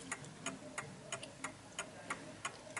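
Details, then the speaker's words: 1950s Smiths Enfield striking mechanical mantel clock set level and running in beat: crisp, evenly spaced pendulum ticks about three a second, ticking nicely before being tilted on an uneven surface. "so you can hear that is ticking away quite nicely"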